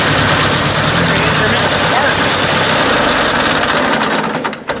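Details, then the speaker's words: Ford 800 tractor that ran perfectly while plowing, then suddenly began acting up; weak spark seen and the owner suspects the points: uneven, stumbling beat about three pulses a second with dropped firings before fading; misfire, cause not found. "great more to figure out what's going on ran perfect the other day when we're plowing i don't know why all of a sudden now it's acting up"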